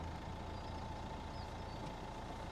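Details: 2015 Nissan Juke diesel just started on push button: steady low diesel clatter at even idle, no knocks or misses; healthy running.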